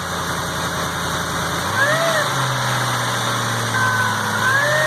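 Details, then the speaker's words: Lincoln Navigator 5.4 3V first start after engine reassembly, oil pressure light watched: smooth, quiet, steady idle with a couple of light throttle blips rising and falling cleanly, no knocks or ticks; engine sounds healthy. "That's pretty quiet. Give it a little throttle."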